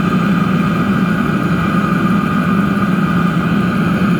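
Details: DIY diesel heater with homemade controller, about 8 minutes running, heat exchanger casing at about 190 degrees and stabilised: steady even burner roar, low hum, faint whistle, no surging; normal steady combustion.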